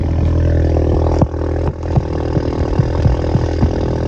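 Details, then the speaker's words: 2019 VW Jetta 1.4T, 16,000 miles, untuned with stock downpipe, just fitted with APR coil packs: deep steady revving with crackles and pops as revs drop. Normal straight-pipe exhaust note, not obnoxious. "so it definitely has a crack to it nothing obnoxious though where it sounds like somebody's shooting an ak"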